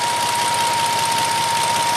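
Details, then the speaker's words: 2006 Nissan Maxima V6, 6-speed manual, being checked after overheating on a mountain grade, idling: both cooling fans switch on low speed at 203°F with a steady, even whir. The temperature then drops and the fans shut off at 197°F, which is normal operation. "All right, so at 203°, cooling fans just kicked on low speed. They are both spinning very nicely."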